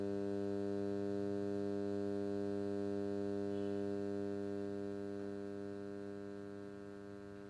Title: Humming Noise Input+output